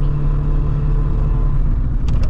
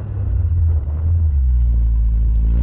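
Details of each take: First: Corsa B GLS 1.4Si four-cylinder petrol on a cold day, pulling uphill; low lumpy rumble with a missing beat, running on three cylinders, owner hopes it's a coil pack. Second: Corsa B GLS 1.4Si four-cylinder petrol on road test after coil pack replacement cured a three-cylinder misfire; pulls cleanly and evenly as revs climb through the gears, healthy four-cylinder running.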